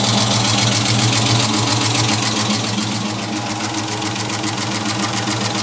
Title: Clicking/ticking noise. What is it?